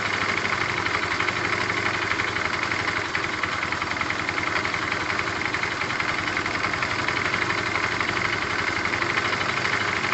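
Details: Tamoretti with replacement carb idling after air-fuel and idle screw adjustment: even, rapid patter holding one pitch for ten seconds, no hunting or misses; owner judges it near optimum setting.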